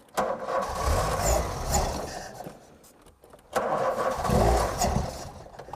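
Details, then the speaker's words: 1988 VW Golf Cabrio GTI engine catches, revs unevenly and dies, even with brake cleaner sprayed into the air intake; suspected fuel starvation from blocked filters or pipes. "ENGINE STARTS AND REVS Even the old brake-cleaner in-the-air-intake trick...Go on. doesn't keep it going."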